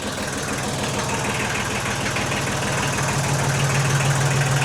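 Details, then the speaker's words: 1991 Kubota L2050 DT tractor diesel, 35 years old, just started after repeated no-start clicks on the key with jump pack attached; low even diesel clatter at steady idle, no misses or knocks, RPM low; normal idle. "She started, guys. I turned the key a couple times, same just click, and then all of a sudden it started. Sounds great."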